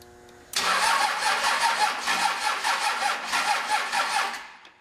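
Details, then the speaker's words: High-mileage 5.9 Cummins 12-valve diesel with P7100 P-pump, cold start after a loose ground bolt was tightened: strong, quick, even cranking with no slowing or clicking; healthy cranking before fueling. "that sounds better. Let's give it some fuel, see if it'll start."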